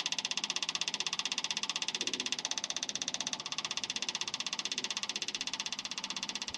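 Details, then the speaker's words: 1971 International Harvester 1110 pickup with AMC 232 engine, temporary electric fuel pump feeding a rebuilt carburetor, engine off: rapid, regular high-pitched ticking that eases once the bowl fills; normal pump operation, no leaks. "you can hear the fuel pump quieted down so now it's a it's got resistance against it i don't see anything leaking out of the fuel bowl so that's a good sign"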